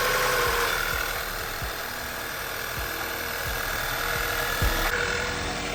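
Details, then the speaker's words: VW Passat B6 with check engine light, random/multiple misfire codes and stored cylinder 1 and 3 misfires. Cylinder 1 compression is 120 psi (about 155–160 before). Idle has a faint howl over a stumbling pulse; owner suspects compression air escaping into the intake manifold. "so right now it sounds like it's running good but I can hear a little howl if you listen there a little howling going on I think that howling is uh is that air escaping as the cylinder's on the compression stroke pushing the air past in pushing the air into the intake manifold"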